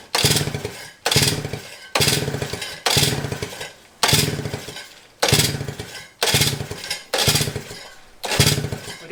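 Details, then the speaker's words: 1955 DKW Hobby two-stroke with magneto, carb rebuilt twice, spark present: sputtering crank bursts about one per second, never catching; cranks but won't start, owner suspects flooding or timing, lots of fuel coming out. "So it might just be flooded. And we can see there's quite a lot of fuel coming out of one side."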